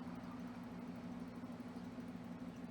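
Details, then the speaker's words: Xbox Series S, heat sink very hot, shuts off with overheat error after one to two hours: soft flat low fan hum never rises; fan stuck at one slow constant speed. Cause suspected, not confirmed. "But the thing is the fan, it doesn't change the speed. The fan it stay at the same speed. It's not blowing a lot of air. There's a constant speed and I'm the game is on."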